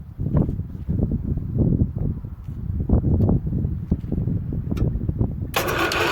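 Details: Antique Ditch Witch C99 trencher of unknown year, junkyard find, first start in neutral: a low, chugging run with uneven puffs as the small engine catches and keeps going, with no knock or grind, running again after revival.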